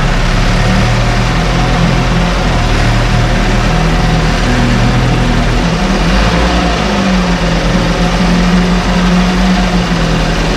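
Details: 1968 Evinrude Fastwin outboard, 52 years old, run in a test tank with no work done; loud, steady two-stroke burble at even pace, no stumbles or rattles; normal idle.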